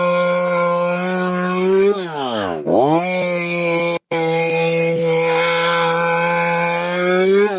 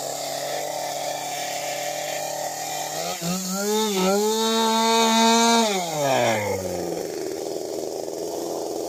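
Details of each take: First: STIHL MS 192T chainsaw after repair of no-run/won't-stay-running fault from bad gas (new fuel filter, fuel pump, cap, cleaned fuel): crisp two-stroke buzz blips up and returns to steady idle twice, healthy. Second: STIHL MS 192T chainsaw after primer fix, before carb adjustment: steady buzz, revs climb and hold high before dropping; idle set too high with chain spinning, corrected by adjusting high, low and idle screws.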